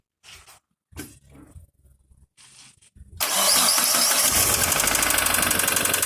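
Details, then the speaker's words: Mitsubishi Sedia with mixed engine (1.6 build, 2-litre block, 1.5 head): after a few cranks catches to fast idle with sharp, regular tapping about four times a second; engine knock, to be disassembled. "короче на такое своеобразное транспортное средство приехал со стуком двигателя"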